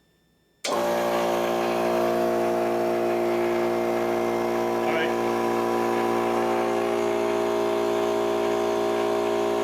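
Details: Old Harbor Freight air compressor after capacitor replacement and resealed fittings (previously wouldn't start properly): starts cleanly into a steady, even hum with constant pitch, no knocks, building pressure; normal running.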